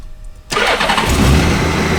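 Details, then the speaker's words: 2013 Honda Goldwing motorcycle with 20,047 miles, believed well maintained: quiet, then the engine fires right up and settles into a smooth, steady idle; normal start and idle. "Fires right up. Sounds very nice."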